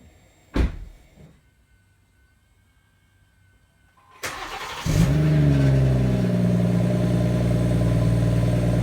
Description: After only 1000km with my new M140i xDrive, here's a video of the standard exhaust sound on a cold start in Comfort Mode where a strange metallic noise can be heard...